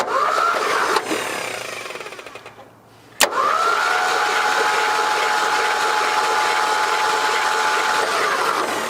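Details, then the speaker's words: 1974 Ford Bronco sat 35+ years, rat-infested engine, cranked on starter out of gear with hooked-up battery: smooth steady whirring with even compression beats, no hesitation; turns over well, no stuck valves suspected. "That's what we was wanting to hear. Yep, turning out pretty good now, ain't it?"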